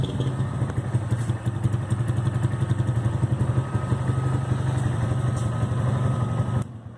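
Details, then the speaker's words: A "160" motorcycle idling: a faint, steady high whine over the engine thump, heard after oil was added to the fuel to lubricate the pump. The owner suspects a dry fuel pump; not confirmed. "Porque, mano, esse barulhinho enche o saco. Eu acho que é alguma coisa seca só."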